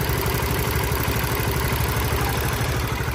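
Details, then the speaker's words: Honda Winner motorcycle with 100,000 km, in for engine servicing: a light, fairly regular mechanical clacking at idle, about three per second, source not yet found. The radiator was also found leaking. "Lâu lâu các bạn nghe có cái tiếng cạch cạch không đó"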